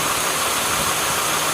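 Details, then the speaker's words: Steady, even idle with a smooth belt whir and no clicking or chirping from a 2008 Toyota Sienna after new idler/tensioner pulleys were installed; any ticking heard is from the engine. The accessory drive is healthy. "No clicking metal sound. Let's go to the top and compare. If you hear the ticking sound, it's from the engine. But there's no... Yeah, it's smooth sound."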